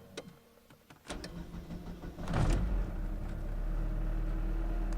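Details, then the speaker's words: Daewoo being serviced, restarted after it failed, likely flooded by an immediate restart: a few clicks and a short crank, then it catches and settles into a steady low idle; a normal start. "okay I guess it works now I guess I just flooded the [ __ ] out of it by restarting it immediately stupid piece of [ __ ] okay this works okay let's try again"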